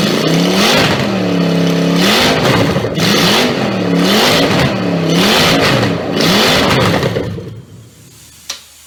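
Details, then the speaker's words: Triumph Stag V8 on a test bed after full rebuild, after correcting carburettor adjustment; strong V8 burble climbing and falling cleanly through several throttle blips then dropping off, normal healthy running and revving. "That's gonna be one mean some bitch."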